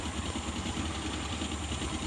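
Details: Suzuki Carry 1.0 petrol engine idling with lumpy uneven low thump, shaking and using excess fuel; pulling plug caps while running shows one cylinder barely firing, a weak spark plug.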